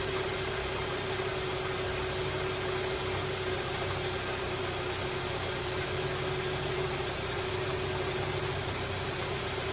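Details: 2012 Hyundai Sonata idling after a radiator replacement while coolant circulates to bleed air: a steady, even idle with a constant mid hum and no knocks, misses or squeals. Running smoothly.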